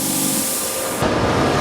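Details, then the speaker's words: LG-40Y plasma cutter with built-in air compressor, in cut mode (15–40 A): steady rushing hiss of airflow with an even compressor drone, no knocking or stalling; onboard compressor runs normally. "This machine is new design with the air compressor built in. So this machine we can work without air compressor."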